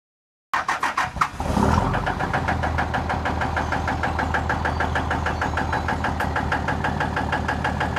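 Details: 2003 Dodge Ram 3500 Cummins diesel that started knocking badly and blowing white smoke while hauling sucker rod: a heavy, steady clatter at idle, about three knocks a second, louder than normal diesel rattle. An injector is suspected, not confirmed.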